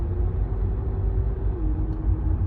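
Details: 2015 Renault Megane 3/Fluence 1.5 dCi diesel coasting on the road without throttle, before the hose swap: a steady mid-pitched drone over road rumble, caused by the stiff original fuel return hose.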